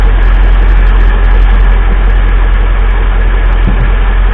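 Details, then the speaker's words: 2005 Mercedes G500 (W463) mechanical engine fan after a rev: a deep, steady roar stays up instead of dying away and slows down only very slowly. The fan clutch is seized and the fan roars almost all the time. "Now it does slow down eventually, but really slowly."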